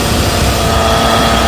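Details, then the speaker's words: Engine idling, listened to with a metal bar: steady thin whine with faint rough hiss, loudest right at the alternator, worn alternator bearing. "you can listen with the bearings right here it sounds the worst coming from right here right on the alternator"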